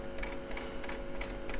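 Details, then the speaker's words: 1970s Grundig Melody Boy 600 four-band radio that suddenly went quiet: on long wave only a steady low hum with no station; medium wave, long wave and shortwave all dead, an AM reception failure. "So something on the medium wave and longwave um killer shortwave. Yep. Also is dead as well."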